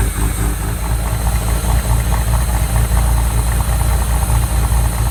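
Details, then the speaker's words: Replica exotic kit car on a 1986 Fiero GT chassis, after oil sludge cleanout: low, lumpy idle with an uneven beat and the odd exhaust stumble; owner suspects a misfire and plans new spark plug wires, maybe plugs. "And then it looked like we might be dealing with a little bit of a misfire, so we're going to go ahead and replace all of the spark plug wires, or the ignition cables as some people call it."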